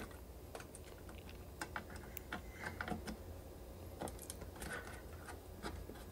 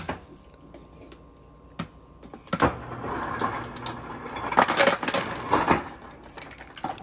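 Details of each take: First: 2006 Maytag Ice2O MFI2568AES French-door refrigerator after installing aftermarket Whirlpool 12920710 control board: ice dispenser auger motor runs continuously with steady hum and ice clicking in bin, pushing ice forward; risk of burning out auger motor. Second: 2006 Maytag MFI2568AES French-door refrigerator after replacing the damaged temperature control board: a few soft clicks, then ice rattles out in quick bursts as the external ice and water dispenser works normally on demand.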